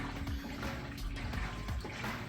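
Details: Whirlpool top-load washer, fully cleaned and tested used unit, agitating a load during wash cycle: low even sloshing and soft churning, no knocks, squeals or grinding; normal smooth quiet agitation.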